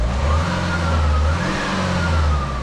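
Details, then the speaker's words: Renault Scenic 1.9 dCi F9Q diesel, with customer-reported slight oil consumption, revving: wavering whistle/whine rising and falling from the failing turbo. "well that is the actual turbo that's failing"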